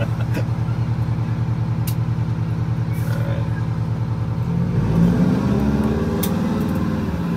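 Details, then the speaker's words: Wanderlodge bus with Detroit Diesel 8V92TA turbo after fixing boost issue, about 14–15 psi boost while driving: deep, throaty drone climbs smoothly in pitch under acceleration with no misses or flat spots; healthy engine. "i've never heard the engine sound or the turbo because it sounds very throaty now yeah it does"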